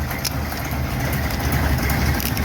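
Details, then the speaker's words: 1951 Chevy project engine with cam, after fixing lifter noise (push rods, rockers, worn lock nuts): deep loud steady loping chug at idle, no top-end ticking; way better, healthy. "okay the Chug the Chug the Chug the CH way way better man sounds pretty freaking good"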